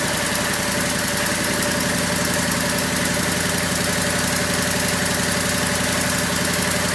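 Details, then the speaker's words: Craftsman lawn tractor single-cylinder, first start in over a year, using choke and a battery charger on jump start: a steady, even chuff at idle with no knocks or sputter, a normal idle. "There it is. Idling pretty good. Yeah, I'm happy."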